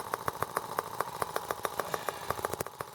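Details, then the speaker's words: R18 model engine on first start with a replacement Hall sensor harness, ignition now sparking: runs rough with sharp pulses about three per second and uneven loudness, rocking hard with a new serious imbalance; owner wonders if an empty water reservoir contributes, cause unconfirmed. "Yeah, now I have a serious balance problem."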